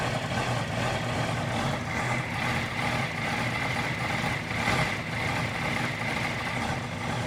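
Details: 2018 Honda CBR650F busy multi-cylinder idle with slight uneven surges and wavering over a few seconds; rough idle on cold start, cause unclear.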